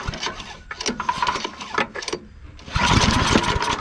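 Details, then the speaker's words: Yard Machines/MTD snow blower after recoil cord replacement and priming: a few rough sputters on the pulls, then catches near three seconds and settles into a steady run; recoil works, normal start. "okay the recoil works it started it up everything's good on this end"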